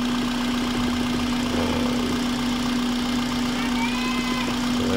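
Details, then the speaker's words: 2006 Toyota Corolla Altis after repair of unstable low RPM and shaking idle that began after a starter job; now idles steadily and smoothly with an even hum, no stumble. "Yan normal na yung andar niya. Hindi na siya nanginginig. Smooth na."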